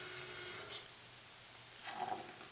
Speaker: And I want y'all to listen to the noise that this vacuum breaker makes when I turn the water off.